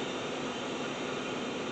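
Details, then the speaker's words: 1999 Mustang 3.8L V6, cylinder two leak-down test on the removed head after valve lapping, at 30 PSI: a steady, even hiss with no escape at the intake or exhaust. Low leakage, much better than before. "yeah I'm only up to 30 PSI and we're we're above the green which is low leakage and it sounds completely different"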